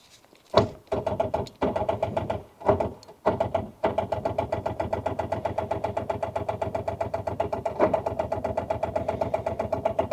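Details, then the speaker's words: Rover 800 that sat abandoned for 15 years, after a tow in gear to free it: several short halting cranking bursts, then a long even churn at about five beats a second that never fires. Owner thinks the engine isn't seized and suspects a weak starter motor. "So what we're going on is, it is spinning over. It's just, I don't think that starter is man enough."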